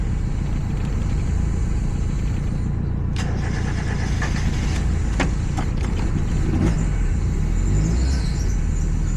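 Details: 1990 Mazda Miata (NA), idle screw backed off and idle valve fully open after it wouldn't stay running: steady low, slow deep uneven rumble holding about 500 rpm, running extremely rich.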